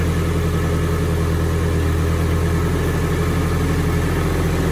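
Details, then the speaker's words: Nissan 240SX S13 SR20 after first start in a long time, seized injectors freed, open vacuum sources plugged, full exhaust: even steady low idle with no misses, knocks or surging, very smooth; normal idle. "once we got it started and plugged up all the open vacuum sources it ran like perfect like it I haven't heard a better running SR I don't think ever it's probably the smoothest one I've heard thus far"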